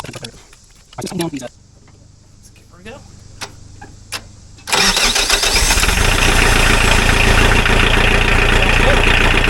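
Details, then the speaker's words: Mahindra 4110 tractor diesel after head gasket repair from overheating, injectors bled, thermostat removed: shuffling cranking then catches and settles into a steady, even clatter without misses; sounds real good. "Man, it sounds real good."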